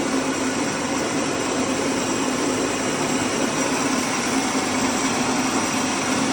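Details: Sam Yod rice mill after replacing the broken motor-pulley bearing and fitting a No. 3 flange, test run: steady even whir and constant hum, no rumble, grind or knocking; mill running smoothly.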